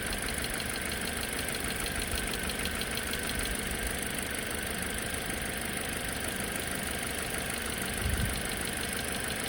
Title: Engine bay clicking noise